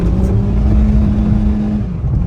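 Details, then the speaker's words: 2011 Suzuki Swift 1.2 petrol, completely worn clutch, shifted into third at about 20 mph, throttle floored: engine drone climbs and hangs high while car struggles at 30 mph, clutch slipping; clutch to be replaced. "foot is all the way down, but the car isn't pulling as it should. It's going 30 and it's struggling."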